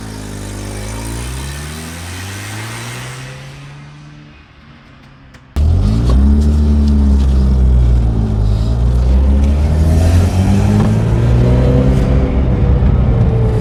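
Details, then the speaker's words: 1983 Mazda RX-7 rotary on its first test drive after 2 years not running: a smooth rising drone pulls cleanly through each gear with no misses or loss of pull. It feels like full compression, so the apex seals seem fine despite the worry after sitting. "feels like full compression I don't feel any power loss so that's good because I was worried that the Apex seal would have taken a hit from it sitting for so long"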